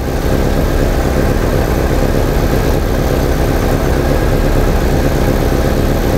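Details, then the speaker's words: 1987 VW Vanagon with misfiring and stalling, after adding a ballast resistor to the ignition coil circuit: a steady, even, smooth low idle with no stumbles or misses. "since the ballast is on it's definitely running better and smoother than my 8c came way down too"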